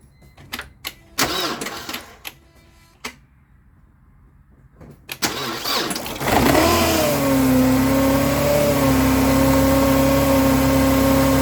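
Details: 2002 Mercedes C230 supercharged, after tensioner pulley and belt replacement: clinking, then cranks, catches and settles into a steady even idle with a smooth whirr, no belt squeal; power steering works, healthy.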